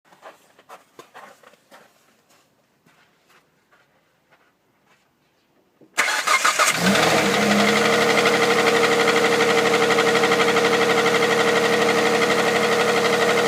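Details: Hyundai Santa Fe CM 2.7 V6 (G6EA) cold start: cranks and catches into a fast idle with an even tick about three times a second, an engine knock on a cold start.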